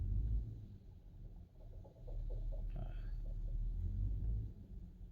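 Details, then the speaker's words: 2014 Nissan Xterra running: deep engine rumble with uneven fast knocking from the failing AC compressor, which also no longer cools; compressor and condenser being replaced. "So ito yung maingay. So maingay yung compressor."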